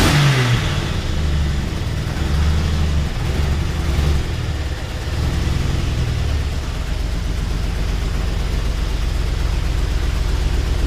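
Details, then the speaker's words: Jeep Wrangler 4.0 at idle: uneven, lumpy idle with irregular beats in a deep rumble, dead misfire on two cylinders from a blown head gasket. "Don't know if you could tell or not, but it is not too happy. She's misfiring pretty good."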